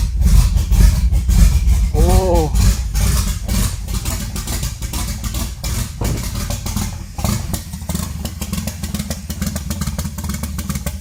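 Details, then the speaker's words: Nissan S13 240SX budget turbo build, first start at minus 45 after battery relocation and new injectors: loud, lumpy, choppy idle with a heavy low rumble, like a mean cam. Running very rich. "yeah that's running really rich really really really rich sounds like it has a mean cam on it but that's so rich"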